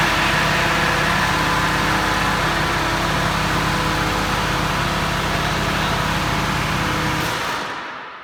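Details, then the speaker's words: Truck (ZF6 transmission) at first startup after being disconnected on ramps: harsh plastic scraping rasp pulsing with engine speed over the idle. Engine fan blades are rubbing on the fan shroud. "fans hitting something yeah it's something plastic yep that's what she is hear that that's why you hear that nerve like the off and on and you can hear something rubbing"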